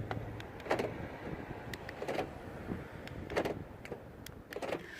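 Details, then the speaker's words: 2012 BMW F20 116d that would not unlock after a battery replacement; remote cycled repeatedly; four crisp lock-unlock clunk bursts about every 1.3 seconds, each actuator snapping cleanly; central locking working normally. "you probably can hear it you're going on and off you can see the pin in there"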